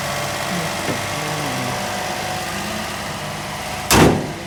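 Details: Toyota Vitz engine at idle: steady, even idle with no knocking or shaking and one door thump near the end; engine sounds settled and healthy, normal idle.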